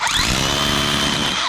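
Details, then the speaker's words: DeWalt 54V brushless hammer drill after hammer rebuild, boring into concrete: strong steady motor whine with rough chattering edge, then spin-down; working like new, even stronger. "So Simon already rebuilt hammer. And it's 100% working like brand new and even stronger."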